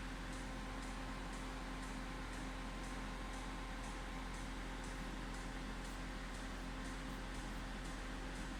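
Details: Citroen C2, won't start with no ECU communication: even low whir with faint steady tone and soft ticking about twice a second; radiator cooling fan running constantly, even with car off, cause unknown.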